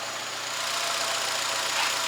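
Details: 2008 Nissan Altima that had logged P0300 random multiple misfires, after cleaning fouled plugs and removing a socket O-ring left on one plug: steady, even idle with a smooth hiss, no stumble or skipped beats; engine running clean.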